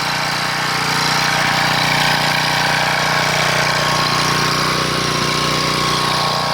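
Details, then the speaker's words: 1997 3000-watt portable generator, Tecumseh engine, sat 20 years with old gas: steady high buzz but strained and uneven, unable to govern speed, only about 115 volts output; varnished, pitted carburetor, replaced afterward. "we'll kick this thing on you've listened to you hear it struggling it can't seem to govern itself because the carburetors in such a bad shape"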